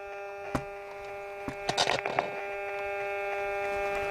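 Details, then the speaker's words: Hacker Mini Herald RP17 transistor radio with AF117 transistors: steady buzzing hum with probing clicks and no station audio; RF on base but none on collector, local oscillator dead, possibly shorted AF117s, no reception. "Yes. No stations. That's picking up my phone, unfortunately. So collector is dead."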